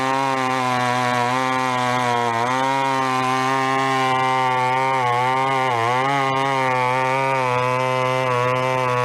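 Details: Vintage chainsaw, unknown when last run, chain a little dull, cutting a 14-inch piece of wood: strong two-stroke scream that bogs slightly and recovers as it bites, pulling cleanly through the cut; normal running under load.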